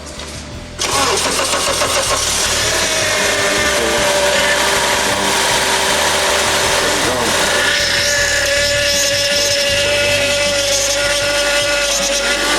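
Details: Honda Accord right after fitting a replacement power steering pump with fluid in the reservoir: engine fires and settles with a steady mid-pitched whine over it, bubbles still in the fluid; pump suspected drawing air, not confirmed.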